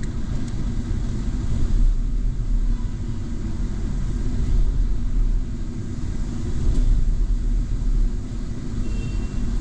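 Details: Mercedes W222 with random misfire, engine shaking, low power, rough shifting, engine light flashing: deep heavy rumble at idle with an uneven lumpy beat; scan shows repeated misfires on several cylinders.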